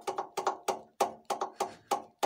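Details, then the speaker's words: TVS Victor motorcycle with a three-valve engine makes sharp hollow clacks, about three a second, as the front disc brake caliper is rocked by hand; the knock comes from a loose caliper with worn slide-pin rubbers, not the wheel bearing. "तो दोस्तों इन सब गाड़ी में जब भी front side से आ जाए तो आप बेयरिंग ए रनर खोलें बैरिंग से वह साउंड नहीं होता"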